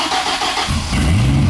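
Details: Healthy cold start of a 1990s Dodge V10 (five cylinders per side, exhausts never meet) with Tremec T56 six-speed manual: brief starter whir, then it catches into a deep, steady, slightly lumpy idle with an "angry UPS truck" exhaust note.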